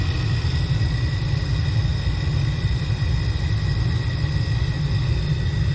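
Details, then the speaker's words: Furnace after replacing a seized blower motor that only hummed and shut the system down: inducer starts, then blower runs with a deep even rumble and faint steady hum, no knocks or squeals; working properly. "we didn't get that last time we did no movement imagine that motor seems to be working good"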